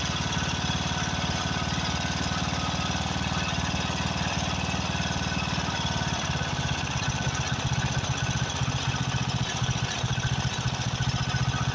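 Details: Craftsman riding mower with a 13.5 hp Briggs & Stratton OHV single, just fitted with a new carburetor: fast but uneven, lumpy thumping. Rough running; a blown head gasket or fuel mixture needing adjustment is suspected.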